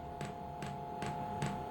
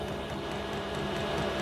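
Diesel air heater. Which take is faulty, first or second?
first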